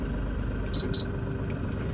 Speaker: So one tip to make it a little bit easier, you hear it's doing the different beeps. So basically what you want to do is when you shift, hold, shift, release, release.